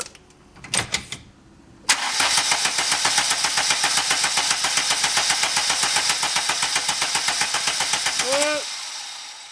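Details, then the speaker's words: Mk2 VW Golf, first start after an engine bay refresh and engine refit with rewiring. Even cranking, about four turns a second for six seconds, never firing: crank-no-start because a connector was pushed on but not fully clipped. "It was pushed on, but it wasn't clipped on fully, so I reckon I just hadn't got it quite there."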